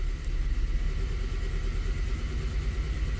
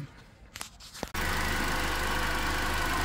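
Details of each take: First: 2010 Toyota Corolla at idle, engine shaking: uneven, lumpy idle with rhythmic stumble; scanner shows cylinder two misfire count. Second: 2010 Toyota Corolla that had a misfire, now idling: steady, even, smooth low hum with no stumble. The scanner shows no cylinder misfiring, and idle rpm has dropped from just over 1000.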